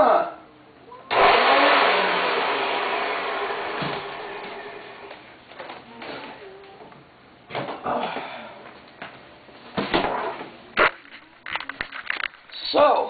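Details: Hoover Elite 350 vacuum, brushes damaged while removing the fan: short harsh scratchy motor roar that quickly sags and dies; runs rough on damaged carbon brushes.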